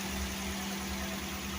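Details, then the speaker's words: Mitsubishi TR4 after replacing broken lifters, clearing the clogged oil hole feeding the camshaft, and a timing belt replacement: steady, even idle with a low hum and no valve-train ticking; normal idle. "Resolvido o problema da TR4."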